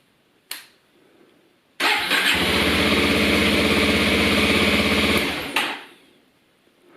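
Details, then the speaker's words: Starter button pressed about two seconds: the starter motor gives a short quick whir of cranking, and the engine catches within a second into a steady, even run. Normal starter cranking and start. "so I press the starter button now and it's going to act it's going on a supply power to this starter motor and you're gonna hear the starter motor cranking over"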